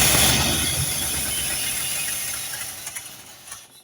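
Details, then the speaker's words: Holley 4412 carburetor rebuilt for flooding or over-fueling, 72 jets fitted, old gaskets reused: loud steady hiss over a rough, fading engine note; vacuum leak, likely at a reused carburetor gasket. "and I got a huge vacuum link so obviously I'm not going to I mean I tried to reuse some older caskets I had around here obviously this is just not going to work"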